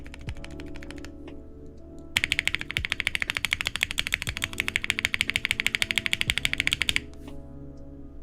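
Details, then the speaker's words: Sunsetter 65% keyboard with POM plate, Gateron Black Ink switches, GMK Dots: rapid clacky typing about three strokes a second, spacebar noticeably louder and rattly, left spacebar under-lubed. "spacebar is a lot louder than the rest of the keys. It's interesting."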